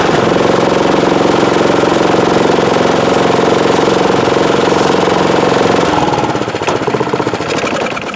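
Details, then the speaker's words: Snowblower engine after a service with a replaced carburetor, running on ethanol-free fuel: steady, even chugging with no misses or knocks, settling lower near the end; a very quiet engine, normal running. "yeah that's running pretty good it's actually a very quiet engine as far as snowblowers go"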